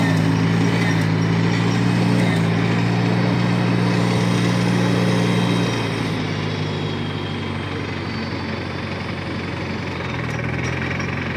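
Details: 1953 Farmall Cub tractor after refilling the hydraulic system (NAPA tractor hydraulic transmission fluid): steady even low-throttle run, earlier high-pitched squeal gone, sounds a lot better; normal running.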